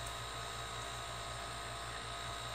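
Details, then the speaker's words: DIY silent air compressor using a repurposed refrigerator compressor on a tank: faint steady motor hum with a soft hiss of air rushing through the lines, barely louder than the room; normal running. "I can actually hear there's motor running you can hear the air rushing through here more than you can hear anything else"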